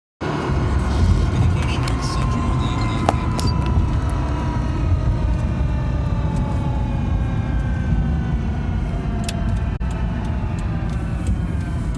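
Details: 2009 Subaru WRX drivetrain whine over road rumble, in any gear or neutral coasting; starts once moving, rises in pitch and loudness with speed, here falling as the car slows.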